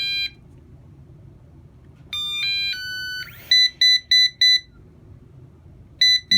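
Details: Eufy RoboVac 11 robot vacuum with a solid red light: short chirps, then four sharp high beeps about a third of a second apart, the stuck-brush fault code. Main brush motor suspected, not confirmed; faulty corner brush motors can also cause it.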